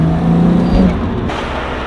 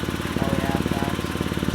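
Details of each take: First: R32 Nissan GT-R on the road, coilovers maxed out: strong pulls with rising turbo whistle on each throttle push and crackles on lift-off, healthy turbo spool and exhaust pops. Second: BMW 128i with stock exhaust at idle: sharp rhythmic chuff on each exhaust pulse from an exhaust leak found with soapy water; plan is to tighten the heavily rusted bolt at the joint.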